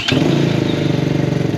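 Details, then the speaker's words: X-Pro X24 250cc fuel-injected single-cylinder motorcycle, new, on 89 octane with factory shipping oil; fires almost instantly and settles into an even, steady idle with no knocks or misses: normal start and idle. "that was a quick start guys this one has electronic fuel injection which is actually the first that I seen out there in terms of"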